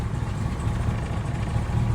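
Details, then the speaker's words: Classic car with a Cobra Jet V8, fitted with quick-start mods, one throttle pump before cranking: fires on a short crank at first try and settles to a low, smooth, even rumble with no stumble or miss; healthy idle. "yeah there we go short crank one start that's exactly what you want"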